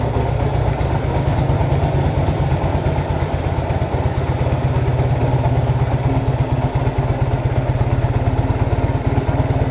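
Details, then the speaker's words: 1966 Honda Dream, first start for a test ride after wiring rebuild, engine adjustments and repaint, rainy day; even, steady low putter at idle with regular firing pulses, no knocks or rattles; normal idle. "all right here we go 1966 on the green up and running"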